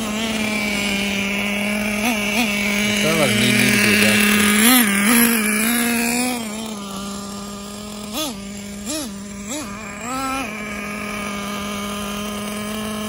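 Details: Traxxas T-Maxx with new 3.3 nitro engine that kept freezing up on start, fixed by skipping the EZ-Start igniter and slightly loosening the glow plug; steady high buzz with smooth throttle blips: normal running.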